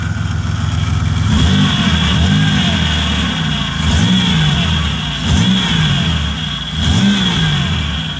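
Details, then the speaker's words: 2004 Buick Century running after a custom power steering return line was fitted and fluid refilled: steady high whine over rising and falling revs, power steering pump noise while air works through. "Now that power steering pump noise, you'll hear that for a bit."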